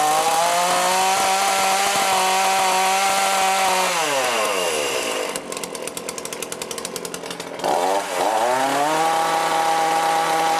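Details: Cheap lockdown chainsaw with Walbro carb, after rebuild and high/low screw tuning while warmed up: high steady two-stroke scream winds down smoothly to idle and picks back up cleanly without bogging; starts easily, cuts well, running right.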